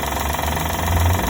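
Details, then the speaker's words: 2012 Honda Odyssey engine at idle, a noise typical of these engines; quick, even rattle over a low idle rumble; owner suspects the belt sensor/tensioner, with oil seen leaking; rattling noise at idle. "Tenemos un ruido muy característico estos motores."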